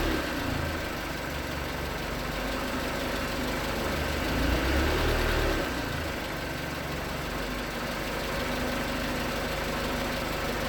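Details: 2019 Hyundai Tucson 2.0L GDI Nu, 24,000 miles, on Mobil1 5W-20 with a NAPA filter under 1,500 miles old: steady light knock, about four per second, at cold idle. Owner suspects piston slap, not confirmed; switching to 5W-30 only slightly improved it.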